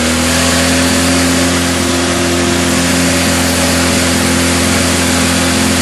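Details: Craftsman GT6000 mower with a Kohler V-twin after fuel pump replacement and carburetor rebuild: loud, flat-out steady howl far above normal speed with no regulation because the governor is disconnected.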